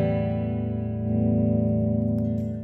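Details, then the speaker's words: Dunlop Cry Baby wah: a held guitar chord swells in loudness but its tone never sweeps, acting only as a volume pedal. Replacing the inductor didn't help; a bad capacitor was replaced and that fixed it. "all right this is my cry baby wah and it's not working [Music] there is no wad sounds more like a volume pedal"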